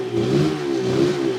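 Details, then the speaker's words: Suzuki RG500 two-stroke revving after being run at about 4,500 rpm for charging-system voltage checks: wavering, dull, flat exhaust note lacking crispness, as two fouled spark plugs drop it onto two cylinders; misfire. "You can clearly hear the uh engine sound go dull."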